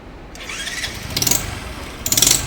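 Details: Motorcycle: the engine catches with uneven puffing bursts and a sharp hissing chuff on each pulse. The head gasket leaks compression and smoke between cylinder head and cylinder; the fix is tightening the head or replacing the gasket.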